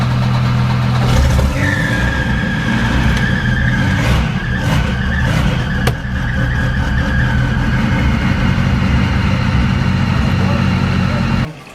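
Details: Volvo that would not start, cranked after new spark plugs. Short crank, catches quickly, then a steady, even idle with no stumbling: normal start and idle, fixed by the new plugs.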